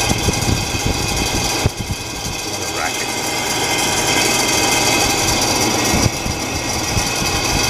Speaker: oh I think it's time to put a new uh a new fan on this is annoying